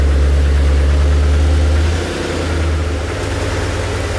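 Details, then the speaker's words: Maserati 3200 GT V8 biturbo, warm idle: light quick tick about four per second from the cylinder head area, fading as the engine heats; owner suspects valve clearance, top-end ticking. "xe càng nóng và chúng ta càng ít nghe thấy tiếng ồn nên có thể nó đến từ khe hở van"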